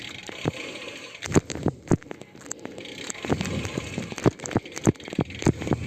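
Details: Vision SC 40 disc wheels (from an Orbea Orca OMX) on a 2019 Specialized Venge Pro with Dura-Ace rotors and calipers: sharp, irregular clicks and ticks after braking over a rolling hiss. The noise persists on a second wheel pair; Novatec and DT Swiss wheels stay quiet.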